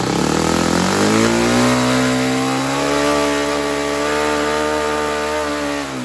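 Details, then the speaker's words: Saito 100 single-cylinder four-stroke nitro glow engine after valve timing reset: buzz climbs then settles into a slightly uneven, blubbery tone; rich mixture, low-end needle valve closed one turn to lean out for a better idle. "sounds rich so I'm going to close this one turn here I'm adjusting the low end needle valve I'm going to go ahead and turn that in and so that'll lean that out for the better idle"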